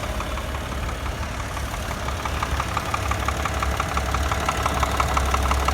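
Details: 2008 Tribeca at steady idle with a sharp, even tick-knock about three per second riding over the engine note; engine knock, cause not pinned down.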